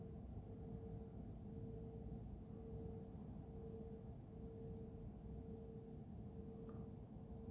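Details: Mysterious low hum recorded at 3am on 10 Feb 2022 from Careening Cove, Sydney, facing Garden Island Naval Base, the suspected source: a steady low hum under a mid tone pulsing every ~0.8 s, with crickets; heard 24/7 from early 2021, stopped 15 March 2022.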